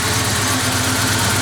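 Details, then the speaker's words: 1988 Ford Ranger, cold, after intake cleaning, with timing slightly off: it drops to about 800 rpm instead of its 1,500–2,000 rpm warm-up idle and idles low with an uneven, lumpy pulse. Rough cold idle, cause unknown. "It is not doing its warm-up idle. It just tries to drop it right down to the 800 or so, and of course it's not able to maintain that when it's cold."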